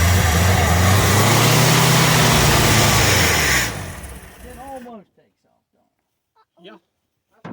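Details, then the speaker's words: 1979 Ford High Boy truck with stuck choke cable: steady rapid cranking, nearly firing but never catching, then silence; hard start, gas leaking at filter, float suspected stuck. "almost that's what it does that's what we want"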